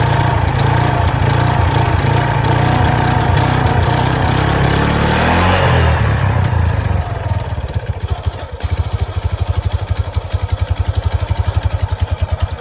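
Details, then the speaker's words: Kawasaki Prairie 300 ATV at idle after removing the cover where snake remains were found: even single-cylinder firing at about four pulses a second with no scraping or chatter; the earlier noise is gone, with only a slight rub mark inside. "Well, that noise has gone away since I took the cover off. I wonder if it was because of that snake."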